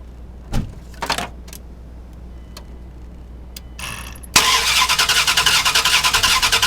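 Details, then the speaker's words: 2000 Dodge Durango 5.9L V8 that quit on the freeway: starter cranks briskly and evenly, about two and a half turns a second, but the engine never fires; weak spark from a bad ignition coil. "Okay, so as you heard the cranking, and we have pretty good cranking speed. Had no problem cranking. It simply did not fire, did not start."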